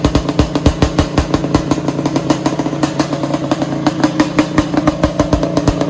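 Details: Suzuki Quadzilla LT500R two-stroke ATV, first start-up of project: crisp, even running with steady rapid firing pulses, no knocks or misses; healthy.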